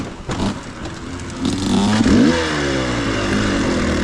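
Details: Two-stroke dirt bike on an XTNG Gen3 Pro carburetor: uneven, blubbery running that stumbles, then blips up, rich and almost flooding. The carb never tuned well despite adjustments; owner plans to return to a Keihin 36mm PWK.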